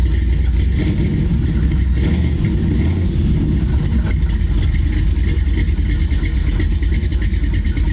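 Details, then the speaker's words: LS V8-swapped Chevy Astro van, cold start in the shop with throttle blips: deep, loud V8 rumble rising and falling, no tapping or knocking; healthy cold engine. "But I figured I'd do a little cold start on the LS swapped Astro van here."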